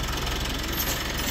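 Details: Mitsubishi Montero Gen3 GLS (early 2017/2018) diesel, 48k mileage, after replacing the alternator pulley (belt and idler bearings still fine): steady, even idle with a smooth low pulse and no squeal or chirp from the front belt area. Normal idle.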